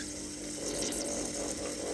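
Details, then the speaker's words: Worcester Bosch compact combi boiler after secondary (plate-to-plate) heat exchanger replacement, would not fire up: hissing, spitting gurgle over faint pump hum as trapped air is vented from the pump; it then fired with good emissions readings. "so as you can see you can or you can hear the air in that pump coming out so we've tightened that back up got some air out of the boiler"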